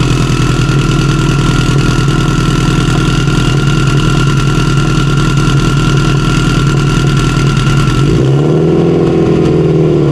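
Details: Stock OEM Subaru EJ257 longblock in an 1100+whp STI drag car, just started after a fuel leak under the intake manifold; deep, steady, lumpy idle with no knocks or ticks, engine runs healthy.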